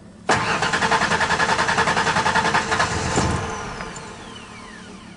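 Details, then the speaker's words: 1992 Ford Ranger 3.0L fuel-injected V6 after fuel filter replacement: steady starter churn about two and a half beats per second for a few seconds, then it catches; normal long crank while the new filter fills. "that's taking a little bit of time for it to fill up"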